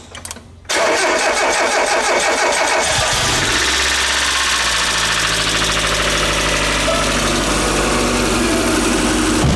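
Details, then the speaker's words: Mazda Miata after welding the crankshaft and setting timing: short crank, quick catch, then a steady even idle with no knocks or misses; sounds a lot better, later revved to 5,000 rpm. Normal start and idle. "don't break a furrier it sounds a lot better that's 5,000 rpm take it like a champ"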